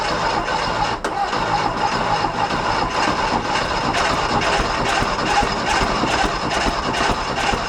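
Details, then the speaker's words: 1969 VW Fastback sitting 19 years: ragged, uneven running with irregular pops and surges, no settled idle, kept going only on gas poured into the intake; fuel line showed no fuel flow when key cycled. "let's go at it again all right you can put your gas in it you can get it running off the bottle"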